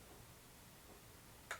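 A single sharp tick of water dropping against a quiet room hum: a faucet that is dripping.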